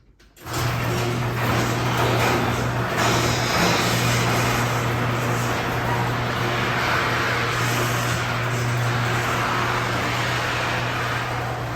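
A garage door opener drones steadily while the door rattles and squeaks along dry rollers and track.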